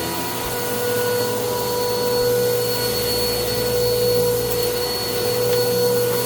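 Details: Bissell PowerClean OnePass (35831) vacuum, used Goodwill unit, running after its clogged filter was cleaned and airflow unblocked: steady roar with a constant high whine and a slightly rough edge. The motor is still noisy; owner unsure if it is bearings or impeller dirt.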